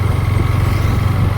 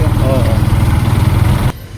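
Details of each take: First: Yamaha MT-15 after mechanic's rocker (valve clearance) adjustment to cure ticking: even, steady thumping idle with no valve ticking; sounds healthy. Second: Yamaha MT-15 idling before rocker adjustment: light, quick ticking over the low single-cylinder thump; owner suspects loose rocker (valve clearance) noise, not yet confirmed before opening.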